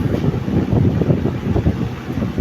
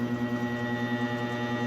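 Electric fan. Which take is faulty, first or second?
second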